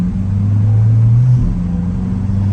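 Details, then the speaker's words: Corvette C8 driving after a transmission replacement, with fresh fluid fitted: deep steady engine drone under load, one quick clean drop in revs at the gear change and no clunk. Shifting is smooth, with no dash warning lights. "hey she shifts nice and smooth no lights on the dash"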